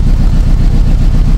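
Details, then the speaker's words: 2007 Nissan Tiida/Versa 4-cylinder, exhaust heard from rear, with P0300; coil, plugs and injectors already replaced: lumpy uneven idle with repeating stumble; one cylinder not firing, injector receiving no pulse. "आपको अगर आप कोई भी गाड़ी आप misfire कर रही है तो पीछे जाके आप चेक करेंगे तो उसमें मिस वायर आपको ऑटोमेटिकली पता चल जाएगा कि इसमें कोई सिलेंडर काम नहीं"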